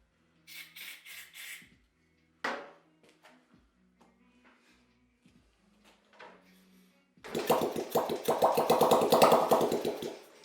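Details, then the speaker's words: 1980 Honda Z50R engine, possibly unrun for a long time, kick-started after timing, points and valve tappet setup with fuel squirted in: a few kicks, then rapid popping for about three seconds before dying; won't keep running, cause unconfirmed. "So at this point, we've seen this thing pop a couple times."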